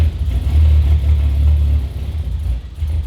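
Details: Turbo Ford Fairlane first start on a new Haltech ECU: deep uneven idle sagging and hunting, throttle fed in to prevent stalling; idling very rich.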